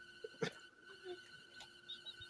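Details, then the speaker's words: Refrigerator gives a steady high-pitched squeal as the compressor cycles on, a problem ongoing for over a year; faint room noise around it, cause unknown. "uh it's actually my refrigerator it does this when it Cycles on and it's been doing this for over a year"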